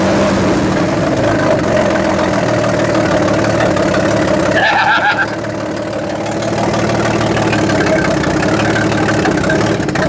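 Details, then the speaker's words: Old Chevrolet C10 (1963/64 stepside) run, choke opened once warm: idle with loose uneven puffing tick about four per second; owner suspects exhaust leak. Ticking noise at idle. "I'm going to say I think we have an exhaust leak. Okay? That noise is not common."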